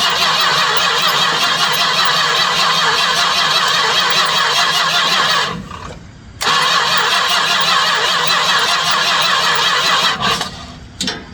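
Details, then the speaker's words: 1967 Chrysler Newport that sat for years, cranked with a booster pack and a little fuel poured into the carb: long, steady cranking, a pause, then more, never firing. No fuel shows in the clear filter, so the pump isn't pulling fuel. "going to take a minute to prime some fuel up there. I'm looking at the clear filter I put on there though. She's not pulling any fuel."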